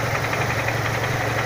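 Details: Renault Symbol 1.6 16V at idle: low rumble with a faint quick knock on every turn; source unclear, crankshaft position sensor replaced a week earlier.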